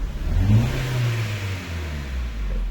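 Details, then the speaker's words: 2013 Kia Rio GDI revved in neutral: uneven, stumbling, choppy exhaust note; heavy misfire and power loss, codes P0300, P0303, P0304, P0326, P0420, check engine light on. "El vehículo falla mucho, falla mucho y no tiene fuerza."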